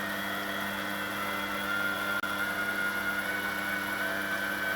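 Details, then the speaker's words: 1996 domestic washing machine commutator motor after new bearings and brushes, test run: steady high whirring with even tones, no crackle or grinding, no brush fire; normal run, slight bearing rumble, drum bearings may also need attention. "Okay. The bearings are rumbling a bit. I think that the drum bearings may need something as well, but there's no brush fire."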